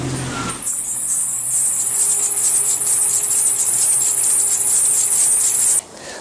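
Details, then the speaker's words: 1999 Jeep Cherokee Sport at idle: shrill, steady cricket-like chirp pulsing gently above a quiet idle; the AC compressor is squeaking, not the belt. "Um, and a lot of times you think that it's belt making the squeaky noise, but it's not. Uh, it's actually the AC compressor."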